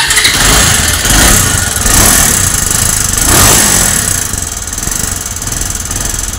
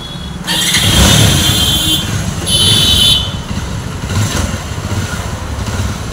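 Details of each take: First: Bajaj Avenger 220 motorcycle, second engine rebuild due, high mileage on meter: engine starts and idles with a loose tractor-like clatter, knocking rattle from worn internals; engine to be opened to find the worn part. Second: Bajaj Avenger 220 with its engine rebuilt for the second time, on a test ride after all the engine work: smooth, steady engine note rising and falling evenly with throttle, no knocks or rattles under road and wind noise; bike fully complete, no problems.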